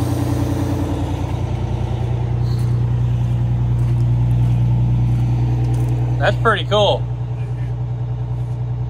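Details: 1989 Grand Villa two-stroke Detroit diesel idling while the air-ride leveling system works: deep, steady throb holding an even beat with no misses, a couple of brief squeaks near the end; healthy idle.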